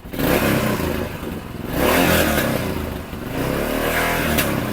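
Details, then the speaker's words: Yamaha XT500 fitted with a new Mibu Tech replica 1976 exhaust header: deep, even thumping from the single cylinder rising and falling with throttle blips, no tinny rattle; normal running. "I don't know if you can explain my wife that that sound is worth $3,100 it's amazing"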